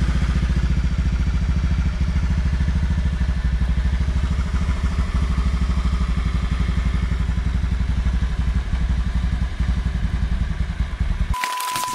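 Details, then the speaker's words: Honda Vario Techno 110 carburettor scooter, stock engine, idling: a steady even thump with no rattle or clatter from the transmission. The CVT rollers are quiet at idle. "dan ini kondisi motor langsam ya nah kedengeran gak sama kalian si suara dari rollernya enggak ya kalau saya nggak sih guys"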